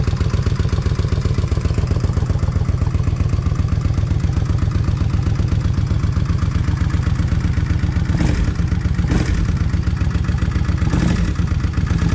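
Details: Kawasaki Vulcan 1600 V-twin after new injectors fixed a wet-plug problem: steady, even lumpy idle near four pulses a second, no misfires or stumbles; runs smoothly, faint fuel pump noise remains.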